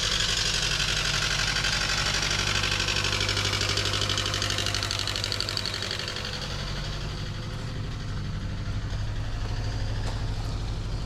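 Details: 2011 Chevrolet Cruze LTZ 1.4 turbo awaiting engine swap, partly disassembled: steady idle with a fast, fairly even chatter and a hissy top end; engine sounds tired and worn, exact fault unclear, not smoking much today.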